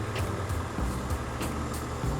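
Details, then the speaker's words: 2002 Honda complaint of misfire, later traced to a corroded cylinder head water jacket: cold engine idles steady and even, no misfire, then gets revved; it stays normal while cold. "dingin ya ini kalau masih dingin Dia normal ya enggak pincang sama sekali kita coba gas ya"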